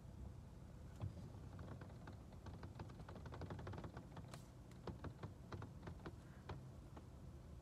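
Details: VW Taigun 1.5 manual while driving: light, irregular plastic ticks and clicks over low road rumble from loosely fitted interior plastic trim; interior trim rattle.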